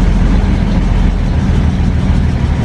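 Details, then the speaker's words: 1940 Dodge VK62B 3-ton transporter, cold start running on poured-in fuel then drawing quite old fuel from the tank, with choke on: heavy low rumble wavering and stumbling unevenly; rough running, cause unconfirmed. "so that was running off the fuel that i poured in so let's see if it'll pull up some from the tank i think it sounds like it needs to clear its lungs out a little"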